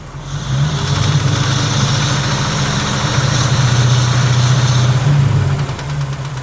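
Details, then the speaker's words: LT1 V8 in a 1961 Rambler frame-swap build, warmed to temperature at hot idle, oil pressure about 25: light, uneven tapping knock over steady idle; mechanical noise too light to be a rod knock, source not found or fixed. "That's a mechanical noise. But it just sounds too light to be a rod knock."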